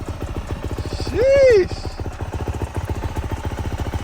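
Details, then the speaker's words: Brand-new 2023 Yamaha YZ450F dirt bike, not yet broken in: crisp, even thumping idle at about four beats a second, no ticking or knocking; normal idle. "well it's brand new still so God break it in and I'll probably have some noise to it"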